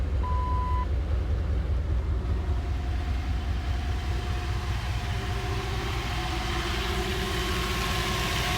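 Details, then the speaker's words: Sanden onboard air compressor (stock on Dodge 5.2, from a 2001 Dodge Ram) fitted in a Jeep, no filter, 150 PSI safety and auto switches; steady engine idle with even compressor hum, no knocking or squealing. Normal compressor operation. "You can hear it running."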